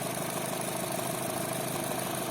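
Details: Chevrolet Cruze 1.8 Ecotec, checked for a noise at startup while measuring cylinder-head oil pressure: smooth, even idle hum with no ticking or knocking; normal idle once warm.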